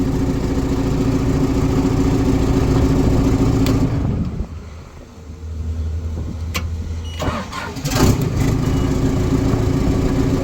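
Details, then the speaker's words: Normal diesel start and idle of a LeeBoy maintainer motor grader after installing a universal Kubota ignition switch for a lost key, started in neutral: dips while cranking and catching, then settles to an even, healthy diesel idle. "on this machine you got to have it in neutral so it's in neutral we'll Crank It Up crank right up we are good to"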